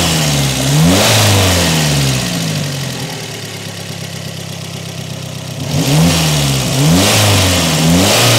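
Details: Peugeot 405 1.9L GRX4 after carburettor adjustment with a Colortune: engine blips up and settles cleanly each time, even steady idle between; well set, running smoothly like clockwork.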